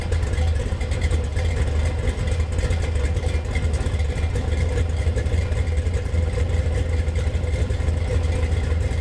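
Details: Budget Gen VI L29 454 big block on an engine stand with factory ZZ502 hydraulic roller camshaft, reaching about 180°: deep, even V8 rumble with a steady lope and no knocks or ticks; runs smoothly and healthy.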